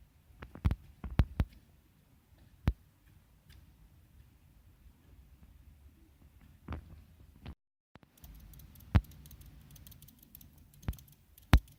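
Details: Xiaomi Redmi Note 4 smartphone making faint, irregular clicks a few seconds apart in a quiet room; cause of the clicking unexplained.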